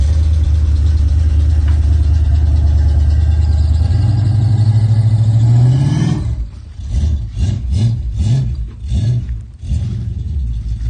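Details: 1984 Chevrolet Monte Carlo after exhaust leak repair: deep, smooth exhaust rumble climbing with revs then dropping back to idle, no puffing or ticking; exhaust sealed.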